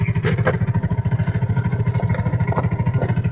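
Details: TVS King Deluxe three-wheeler (bao-bao) single-cylinder, after replacing high-tension wire for stalling, hard starting and low power uphill: firm, steady beat around three pulses a second, even, no misfire; normal idle.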